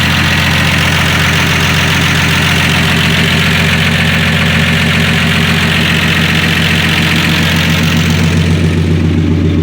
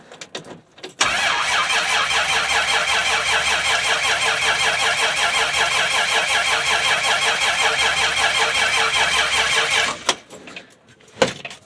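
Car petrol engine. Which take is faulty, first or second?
second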